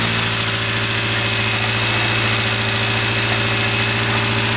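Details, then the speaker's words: 1980 Triumph Spitfire 1500 with a Weber two-barrel, shortly after a freezing-cold start: the high idle settles into a smooth, even, steady low thrum with no stumbles or misses as it warms; normal idle. "well if it'll sit there and idle well it seems like it's going to"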